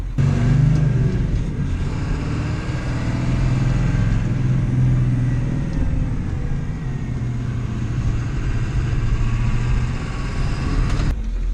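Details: Ford 7.3L diesel that had a no-start, traced to a deteriorated fuel heater shorting to ground and blowing fuse 30 (EBP valve, WIF sensor/fuel heater): deep, even rumble held ten seconds with no misses, knocks or hunting; normal idle.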